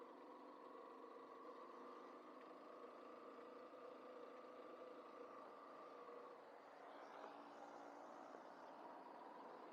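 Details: Yamaha Fazer 150 2014 motorcycle engine tested after repair of strange engine noise; steady idle with even hum, no knocking or rattle.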